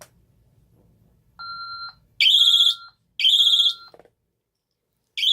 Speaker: Go ahead and activate it here. It does take a little bit for the i3 to communicate back to the panel that it's gone into alarm.